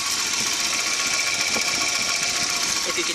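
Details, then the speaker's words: 1992 Volvo 244 at idle: light, quick ticking about three or four per second toward the back of the engine; owner attributes it to worn valve cushions, excess valve lash. "you can hear towards the back of the engine, there's sort of a bit of a tapping. For one, I know that the valve cushion things that these cars have are indeed worn down."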